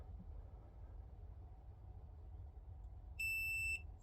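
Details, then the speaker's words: Water2 filter pod just fitted, button held down for 3 seconds: one clean high beep lasting about half a second over quiet room noise confirms the pod activated normally and fresh water is flowing. "And you'll hear a little bleep. And that's it, guys. Got fresh water coming through that now."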